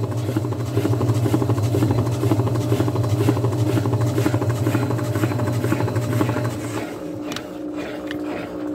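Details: Washing machine on the spin cycle: the drain pump throws water, but only the beater turns and the agitator doesn't, so it won't spin. The motor drones with a rough pulse about twice a second and never builds speed, then cuts off.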